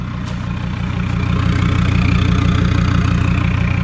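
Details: Mercedes Sprinter diesel van, 421 thousand, muffler cut off to cure turbo over-boost condition; loud open burble at idle, even pulses about three a second, unmuffled and steady; normal idle through straight pipe.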